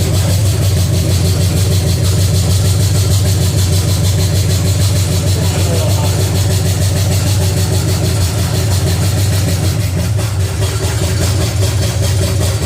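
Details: Pontiac 350 V8 in a 1950 Pontiac gasser with 6-speed, idling after the motor plugs were changed and idle screw adjusted: deep, steady rumble with even beat, no misses; normal idle, runs better with a rigged coil wire.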